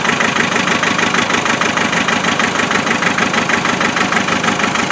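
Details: Land Rover 2.5 naturally aspirated diesel cold idle, regular stumble about twice a second, one cylinder misfiring; injector fault found via thermal camera and injector spray-pattern tests.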